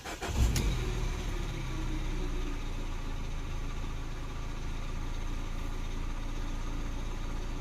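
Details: 2012 Peugeot 208 1.4 VTi after repair, starting when prompted by the diagnostic tool: catches quickly after a brief crank and settles into a smooth, even low idle with no misfire or stumble.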